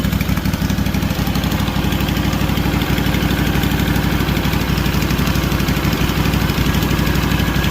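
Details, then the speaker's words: Freshly rebuilt Kawasaki FR730V V-twin in a Cub Cadet SX60, first start with choke on, no fuel or oil leaks found: steady, even idle pulse with no misses, knocks or hunting; normal idle. "It sounds pretty good. Check around for leaks and things."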